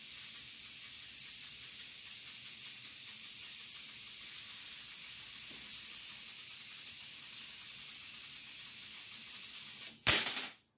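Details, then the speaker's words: Ion lifter high-voltage supply using miniaturized flybacks and a multiplier: steady high-pitched sizzling hiss, cutting off sharply, from corona discharge at the eighth stage while running on six-stage output; owner applied dielectric grease to quiet it. "something I noticed was when I was running on my six stage output of the multiplier the eighth stage was actually having some Corona discharge so that's why you actually hear the hissing"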